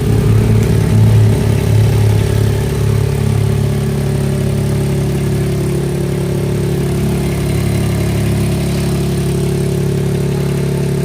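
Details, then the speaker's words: Mahindra XUV 3XO MX1 at idle, before repair: a light, fairly regular tak-tak, tractor-like rattle over the engine note, traced to a loose, vibrating exhaust heat shield plate. "हो यह है mahindra-ecat जो sound है जो engine के अंदर जो sound आ रही थी ट्रैक्टर वाली जो साउंड आ रही थी जैसे आप आपने कभी ट्रैक्टर की जो साउंड आती है वो सुनी हो आपने जैसे टक टक करके आवाज आती है वह इसमें से आ रही थी"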